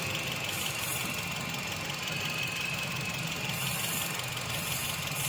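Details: Toyota XLI with code P0354, wiring being checked: uneven idle with irregular stumbling beat and hissy background; one cylinder dropping out. Misfire at idle, cause suspected, not confirmed.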